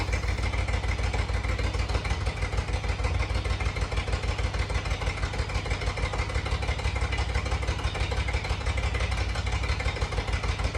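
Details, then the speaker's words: 1988 Jeep Comanche MJ 4x4 revived after sitting for years, with cleaned tank, new fuel pump and lines: loud, raw, deep coarse idle because a previous owner cut the exhaust under the cab at the first bend, not a header leak. "I'm sure you guys hear how loud it is. I don't know, you know, probably what you were thinking in your mind at this time, but uh it is the exhaust. Obviously, they uh whoever had it before me cut the exhaust directly under the cab coming out first turn, first bend."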